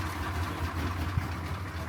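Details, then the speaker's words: Suburban 6.2 Detroit diesel at 25°F, high idle stick on pedal to warm up after cold start: steady, even diesel clatter held at raised idle, no misses or knocks; healthy high idle. "There's my high idle. Now that'll get this thing to warm up as fast as I need it to warm up."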